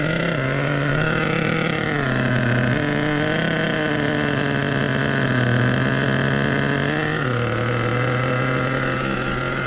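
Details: Nitro RC truck with OS No. 8 glow plug, just started after priming, idle turned up half a turn: high buzzing idle with steady pitch that dips and recovers a few times, fairly stable.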